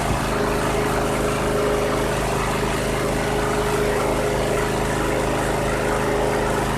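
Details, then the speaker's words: 2001 Cub Cadet 3184 (MTD-built), Kohler CH18S 18 hp OHV engine, 848 hours, previously running rough. After a tune-up including plug gapping: steady, even low drone idle with no hunting or stumbling. Engine sounds solid. "What a difference that made. 848 hours and that engine sounds solid."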